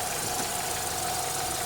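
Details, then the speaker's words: Renault Mégane 3 K4M engine after oil change to ZIC X9 5W40: faint ticking and knocking with a chirping high whistle only once hot, silent when cold; cause unknown, owner seeking advice. "И какой-то стук на горячую после замены масла. И перестук какой-то."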